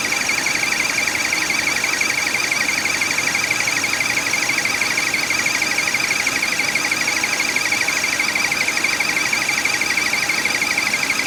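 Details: 2009 Buick LaCrosse, 3800 Series III V6, at idle: steady high-pitched chirping whir from a bad water pump bearing.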